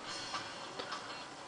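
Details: Repaired jukebox CD mechanism (VAU 1254/11) stepping track to track: a few light, crisp, evenly formed clicks with no grinding. The changer is working normally after the repair.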